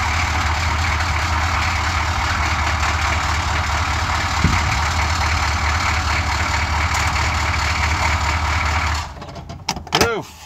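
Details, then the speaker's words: Suburban 6.2 diesel after cold start, small oil and coolant leaks noted: smooth, steady diesel clatter at even idle for nine seconds before shutdown; runs like a top, healthy. "runs like a top wish I had more of them"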